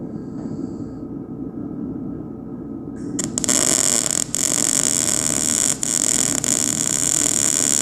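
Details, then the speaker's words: MIG welding sheet metal on the dump/tilt bed of a 1959 Viking 60 truck: after the arc strikes, an even, unbroken sizzling crackle as the metal heats, a steady bead at a controlled travel speed. "can you hear the metal hear the metal crinkling and crackling and heating up"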